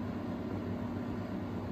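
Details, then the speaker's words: 1999 Honeywell HW 680 twin window fan, new old stock, on low speed: a steady mid-pitched electrical hum over soft airflow. The speed-control hum is judged annoying; capacitor-based controls are described as much quieter. "yeah that's kind of annoying I'm not sure if this was my fan that I was using in a window on a daily basis especially at night time this would get pretty annoying"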